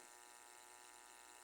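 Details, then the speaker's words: Vacuum cleaner on 220 V, opened up, wet inside and smoking with a burning smell. The motor gives a steady electrical hum with a faint whine, droning like a transformer. The motor is struggling and at risk of catching fire. "cheirando queimado e tá roncando igual um transformador ó a fumaça al na ponta chave ali ó perigoso pegar fogo"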